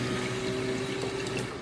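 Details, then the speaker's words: Toyota MR2 build, DW 350 fuel pump temporarily wired to a battery off the car, tested for leaks on new -8AN lines: steady mid-pitched electric whine with fuel gurgling, running smoothly, no leaks; normal. "so the staff they're pumping out I can hear it okay there it is"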